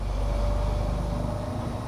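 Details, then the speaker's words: OutEquip Pro 12V rooftop A/C on a 6x12 V-nose camper running on high in hot weather: deep, strong, even drone with a steady mid tone as the compressor spools up, no rattles or knocks; normal compressor running. "You can hear the compressor. I like how it spools up, it sounds kind of neat."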